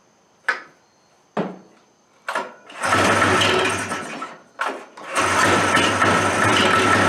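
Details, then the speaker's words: Old Suzuki Fury two-stroke sled, shelved for years with suspected ignition trouble; after a spark fix it cranks in short bursts, then runs ragged and uneven, misfiring and never settling. Rough running, cause still unconfirmed. "it was running not that long ago but it wasn't running well wow that's uh that seems all too familiar it's like so close"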